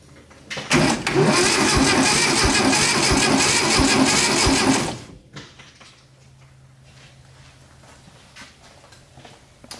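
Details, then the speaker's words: 1972 VW Arizona trike, long parked and not running, with poor-looking points: the starter cranks at a steady rhythm for about four seconds but it never fires. No spark, so crank, no start. "we have no spark"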